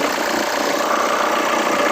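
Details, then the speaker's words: Hyundai Santa Fe engine at idle, hood open: loud steady whirring rattle and vibration from worn idler and tensioner pulley bearings on the drive belt; belt, idler and tensioner replaced. "natin yung belt ah drive belt yung idler bearing [Palakpakan] bearing pa rin ito bearing auto [Musika] tensioner"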